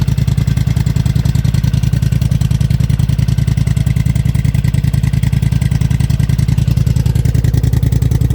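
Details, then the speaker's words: Polaris Sportsman 1000 High Lifter with a GSE Trail Tamer exhaust installed, muffler fitted, idling: a deep, even exhaust thump; the owner is unsure about the heat shield, which rattled some. "muffler is on I don't know if I should have kept that heat shield on it it kind of rattled some you can kind of hear it let me know if you kept yours on I'm not sure if I should sounds pretty good"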